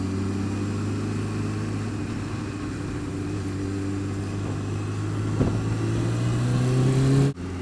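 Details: Honda Fireblade engine drone climbing gently with revs, light rapid tick riding over it, worse when cold, quieter but persisting when warm; source of the ticking not yet known.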